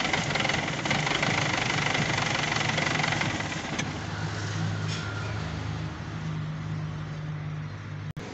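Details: Isuzu 4JH1-TC diesel (D-Max, VP44 pump) idles with uneven clatter, the beat sagging and wavering until it stalls; won't hold a steady idle, cause unconfirmed.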